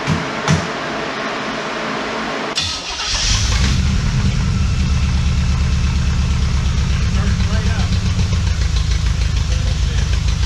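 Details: Shell Valley 1967 Shelby Cobra replica, after timing corrected from 28° to 10° BTDC and carb mixture adjusted: cranks, catches about three seconds, settles to steady deep idle, no lope, popping or backfire; carb may still need rebuild.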